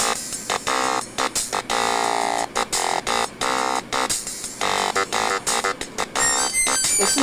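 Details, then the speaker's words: Toshiba Portege 300CT laptop's built-in speaker playing Yamaha OPL3 music: harsh, buzzy, thin sound with no bass, rattling and bottoming out at any volume, from both Windows mixer and hardware control; severe speaker distortion. "second thing is that i think this is the worst sounding speaker i have ever heard in my entire life"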